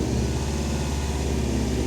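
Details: 2018 Subaru WRX STI boxer engine after belt installed and tightened during squeal repair: steady, even idle with smooth low rumble, no belt squeal or chirp; normal idle.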